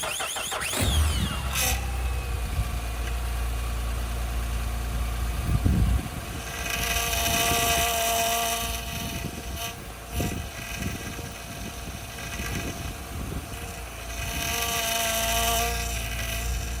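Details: 2008 Acura TL Type-S after replacing the power steering hose O-rings, with fluid low: a steady mid-pitched whine over the idle, the pump aerating on air in the system; still not fixed.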